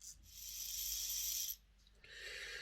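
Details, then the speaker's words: Hornby R066 Duchess of Sutherland model loco bought as an eBay non-runner, fitted with new brushes and springs and gear oil: thin, high buzzing rattle as the gear flails when the motor runs one way; the spindle is loose. "yeah we've got a problem this gear here if i run the motor this way you mean you can see it see the flailing about you run it in that direction and it's okay run it that way it's all over the place uh and it's the spindle there you can see how loose that is"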